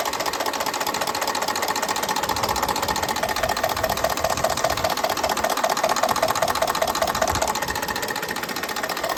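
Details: A 2019 Ford F-150 5.0 L V8 idles with a steady quick knock despite new OEM timing components, phasers, actuators and solenoids; cause unknown.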